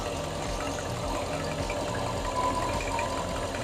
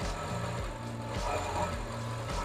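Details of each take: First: 2006 Mercedes CLS55 (113k V8) just fitted with a Weistec 2.9L Whipple supercharger, idling: faint rhythmic puffing tick like an exhaust leak, traced to an aftermarket plate not sitting flush that needs modifying. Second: 2006 Mercedes CLS55 V8 after a Weistec 2.9L supercharger install, not yet tuned: steady, even idle rumble with no misses, knocks or surging; sounds good.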